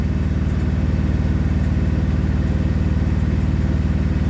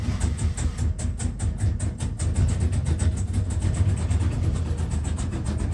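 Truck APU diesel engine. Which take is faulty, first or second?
second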